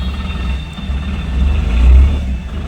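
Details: Tata Ace Gold BS6 diesel after no-start with DEF and check engine lamps lit, DEF tank filled and level sensor checked: low, steady rumble swelling gently and settling, no misses or knocks; normal idle.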